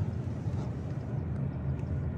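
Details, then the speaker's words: 2005 Subaru Legacy GT, turbo, automatic, 180,000 miles, no codes: low, uneven chugging idle in drive that lurches as if about to stall; it pulls fine in manual mode, and the owner suspects a transmission issue; cause unknown. "Again, real chuggy idle."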